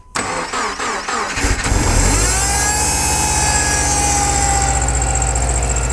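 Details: Subaru EJ25 cold start in early morning at -16 engine temperature: cranks, fires and settles into a fast cold idle with a regular tapping knock over the engine beat.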